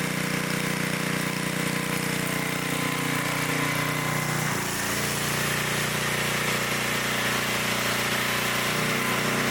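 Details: 1972 Dayton 3,000 W electric-start generator, which sat 30 years, running after reassembly during an RPM check: a steady, even drone with no misses, knocks or surging, running smoothly and normally.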